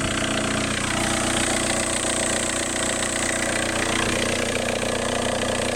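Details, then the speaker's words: Seat Inca engine idling: harsh hissy rasp loudest with ear at the intake, really bad; rough top-end noise, cause unclear. "you put your ear to the intake it's really bad I don't know why that's that"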